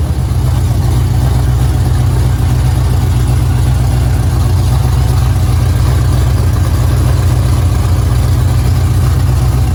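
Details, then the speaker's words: Dodge Charger 5.7 Hemi V8 just after a swap to performance cylinder heads, long tube headers refitted: loud deep idle with a rough puffing chuff on each firing pulse from a leak at the long tube headers; exhaust leak at headers. "As you can hear, I have a exhaust leak. The exhaust leak is at the long tube headers."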